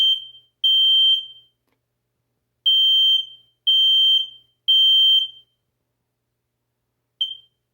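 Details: Home smoke alarm in a bedroom, mounted high, with a very bright light, test button pressed: loud high-pitched chirps in bursts under a second apart with short gaps, then stops; test sounds normal.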